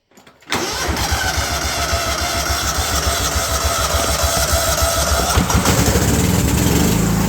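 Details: Cub Cadet 2135 riding mower after 38 years sitting, started with choke: catches within half a second and settles into steady even putter with no misses or surging; normal start and run.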